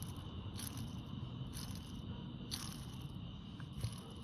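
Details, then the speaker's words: Honda SH150i scooter starter-alternator, low mileage, removed and turned by hand: scratchy, gritty bursts about once a second, feels notchy and dry with no grease; bearing suspected shot as cause of starter whine. "Hear that? It's really rough. And you hear like You know, it doesn't sound good. So the bearings, I think the bearing is shot."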